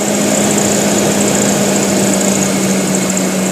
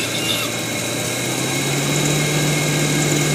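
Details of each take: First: Kembara with HC engine, idle set via vacuum adjustment to about 900 rpm, fixing rpm dropping and near-stall with AC on: smooth, even hum with AC on, holding about 1000 rpm without hunting. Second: Kembara with HC engine, low idle rpm and near-stalling with aircond on: vacuum hose pulled off the FICD/idle-up valve makes engine note climb and grow louder, rpm rising 900-plus; suspected faulty idle-up vacuum valve.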